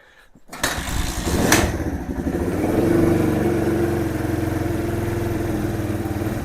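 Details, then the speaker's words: Kawasaki KL 250 single, first kick-start after top-end rebuild on a cool day: catches, blips once, settles into an even thumping idle without knocking; starts easily with the extra compression, rings still to seat. "See how easy it is to start now. I think with the extra compression, it's going to be a lot better. The engine sounds good."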